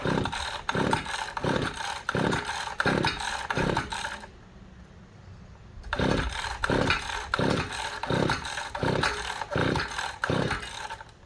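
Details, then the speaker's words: Small engine no-start: repeated pull-start bursts, about one pull every second and a bit, the motor spinning over but never catching. The spark plug, pulled afterwards, looked fouled and not firing. "Well, Still doesn't sound like it's even trying to start. Well, we're gonna check the spark next here, guys."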